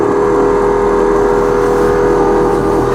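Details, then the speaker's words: 1991 Ford F-150 heater/AC blower motor before replacement, on high, the only working of four speeds: loud steady mid-pitched hum with coarse uneven roughness, worsening over time; motor shot. "it just sounds terrible it's gotten worse over time too so yeah i think it's safe to say the motor is pretty well shot"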